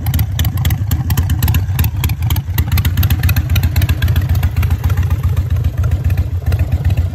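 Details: Harley V-twin (Sportster/Dyna/Softail/V-Rod) with a manual idle air control valve replacing the factory IAC, idle rpm dropped down: slow, lumpy idle around 900 rpm, even loping beat with no misses or clatter; healthy warm idle.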